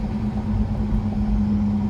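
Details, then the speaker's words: 2012 Mini Cooper Countryman S manual under light driving, steady low hum under road rumble coming from the back; suspected bad rear wheel bearing, not confirmed. "not really giving her the beans that much oh we got a bad wheel bearing"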